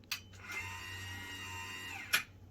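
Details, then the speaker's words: EcoJoy/RIOSOC lithium-ion stair-climbing hand truck: sharp click at switch-on, soft motor whine, another click as power drops; the electromagnetic brake in the motor (not relays) locking it from spinning; normal brake click. "That's the brake. It actually lock. That's not coming from the relays. That's actually coming from the motor. When you disengage the power to the motor, the lock will prevent that motor from spinning."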